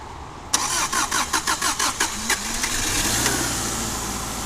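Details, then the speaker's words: 2004 Subaru Outback, 170,000 miles, first start after a new OEM short block was installed roadside, no coolant yet, borrowed battery: about eight quick even starter beats, catches within two seconds, steady quiet idle; healthy start. "So Sounds good. yeah, it's really quiet."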